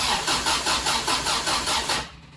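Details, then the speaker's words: 1974 MGB, first start attempt after at least 12 years unassembled, with 50 psi oil pressure, choke on and fuel pump running. Starter churns about four even compression beats a second and never catches. Owner suspects electronic ignition wiring. Cranks but won't start. "okay i'm not getting any uh action here i'm hoping i have the uh electronic ignition hooked up right"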